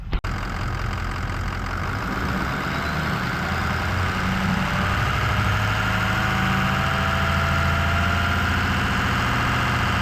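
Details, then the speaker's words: 6.0 Powerstroke diesel Excursion after a blue-wire mod adding a manual fan clutch switch, idling, recorded at the front under the hood: a rushing roar builds and rises in pitch as the fan clutch locks up, taking 30–45 s. Fan engagement is normal. "you could clearly hear the fan kicking on and then kicking off. He said it takes a while to kick off. It gets slow. So it seems like it's working just fine."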